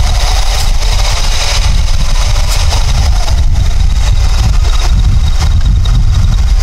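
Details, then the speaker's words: 1999 Honda Accord F23A replacement engine with P0108 and P1129 codes: steady, dull, flat idle rumble; MAP reading unchanged, suspected timing issue or large vacuum leak. "I'm beginning to suspect there's a timing issue or a vacuum week massive leak somewhere"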